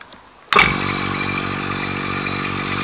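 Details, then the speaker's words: Single-stage 3 CFM vacuum pump running with its inlet open: steady motor hum with a soft, regular bubbling pulse as it pulls straight through, no vacuum showing on the gauge; the bubbling disappears once the inlet is fully closed (28.5 inHg). "but it sounds like it's bubbling that's it's pulling straight through no no vacuum showing on the cage"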